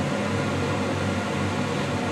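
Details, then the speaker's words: Shop furnace just converted from natural gas to LP, draft inducer blower starting to create negative pressure in burner tubes, runs about 30 seconds before ignition: steady fan whoosh over a low drone, no rattle or scrape; normal. "the draft blower turning on, making a negative pressure in the burner tubes."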